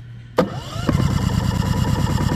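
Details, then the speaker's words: Champion 4500 dual-fuel inverter generator on propane, with two hours of break-in, electric push-button start on choke: a click, a short rising starter whirr, and it catches within half a second to an even run, going straight into eco mode; a clean start. "there we go okay so it's on and it goes to eco mode right off the bat"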